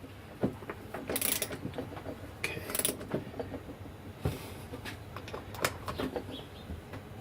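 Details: Rebuilt Mobylette Motobécane relay box after reassembly with a heated bearing ring, turned by hand: light irregular clicks and gear chatter, free even ratchet action with no grinding or binding.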